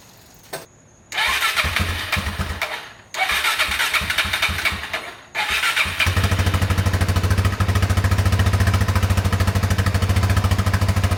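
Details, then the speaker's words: Newly bought DRZ400 single that runs great otherwise, but knocks only when the throttle is blipped from idle. A thump steadies into a fast idle, with a knock on the blips; cause unknown, and the owner may check the clutch cover for something loose. "I'm going to contact some DRZ buddies see if they have a similar issue similar noise and I mean maybe I'll tear into the clutch cover see if there's anything loose"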